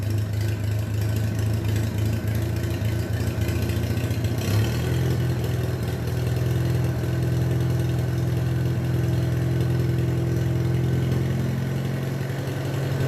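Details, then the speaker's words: Minneapolis Moline BF tractor after in-frame engine rebuild for heavy blow-by: low, steady chug, about three to four beats per second, with no knocking or misses; normal running. "Sounds pretty good, eh?"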